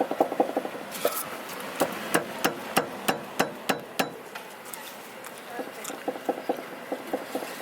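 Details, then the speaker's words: K24/20 Honda Civic on a jack, wheel worked by hand: sharp irregular clunks, about three a second; worn upper control arm found after a drive. "As soon as the power goes cluck, cluck, cluck, cluck. When I'm driving, it's probably moving. So, looks like I'm gonna have to get some upper control arms."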